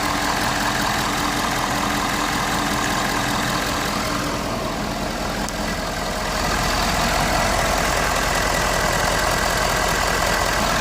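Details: Ford 6.7 Powerstroke diesel truck with one-touch start, after no-start clicking from a dead battery; charging shows 13.9 V at about 22 amps, system not strained. Steady, even diesel idle, no knocks, misses or hunting: healthy.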